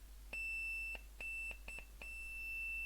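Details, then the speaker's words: Bar speaker (tweeter horn / woofer) that had read open circuit, tested with an analog meter's continuity bleeper across its terminals: clean high-pitched bleep in short and long pulses with no rattle or buzz; working speaker, clear test tone. "nice and clear again so that one's also working uh so we've got two uh two good speakers there"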